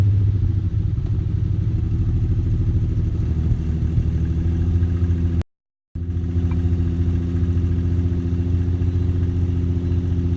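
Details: 2007 Infiniti G35, cold start: steady low chugging, engine turns over for seconds without catching; happens only at cold start, afterwards starts normally on first try; cause unknown.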